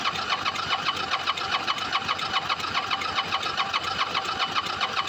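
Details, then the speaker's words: Motorcycle with some fuel added, choke off: steady rhythmic cranking about 2.5 beats/s, never fires; starter solenoid staying engaged, owner plans to replace battery, fuel pump and solenoid. "Yeah, that's all. It's not going to try and start. Oh, that is so irritating."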